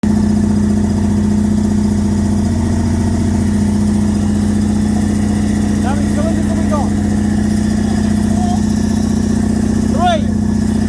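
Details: Toyota 1UZ-FE V8 in a Bushlux, run after sitting for years: lumpy, uneven idle with several cylinders dropping out; misfire from sticking valves/followers, cam lobes crusty and unworn as the valves weren't opening.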